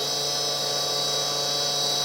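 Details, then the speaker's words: Tree Journeyman 325 CNC mill spindle at full speed after bearing service and motor pulley balancing: steady high whine with several ringing tones, slightly better than before but the spindle bearings sound worn, near end of life; overheating seems to be solved. "it sounds different than before a little bit better although still uh these bearings definitely on their last legs left to get new ones but uh this will hold out for now"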